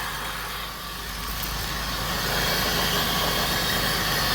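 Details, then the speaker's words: Pontiac Bonneville SSEI first start after transmission swap, transmission fluid about 2–3 quarts low; even, settled idle hum with a faint hiss, no knocking or roughness: normal idle. "So let's see if it starts. Woo! And I don't want to let it run for a long time, but I want to check the fluid on the trans."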